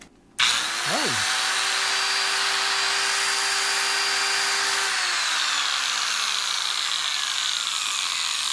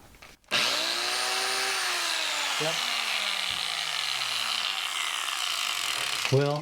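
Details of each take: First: Electric angle grinder that quit after 30 seconds sharpening mower blades, run with the cover off after brush replacement: steady high whine with a rough, gritty edge and visible sparks; works but noisy. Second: Electric angle grinder that quit after 30 seconds of sharpening mower blades, now with new brushes and reassembled. Motor spins up fast to a clean, even high whine and holds steady without rattle or grinding, then winds down; it runs normally.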